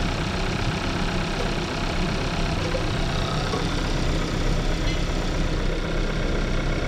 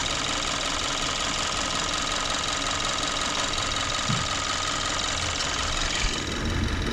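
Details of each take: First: 2014 Kia Forte after replacing ignition coils for P0301 cylinder 1 misfire at idle: even, steady idle with no stumbles or skipped beats, way smoother; normal idle, misfire fixed. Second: 2014 Kia Forte petrol engine with check engine light, hard misfire at idle, P0301: uneven lumpy idle with irregular low thumps; drop test and connectors point to cylinder 1, broken connector seen.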